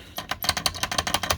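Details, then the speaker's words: Hermes Rocket typewriter on final checkout after red oil was put on the space bar pivot points: quick space-bar strokes, about six a second, each with a thin high squeak; still squeaking. "still squeaking just heard it sometimes that oil's got to work its way into whatever is happening here"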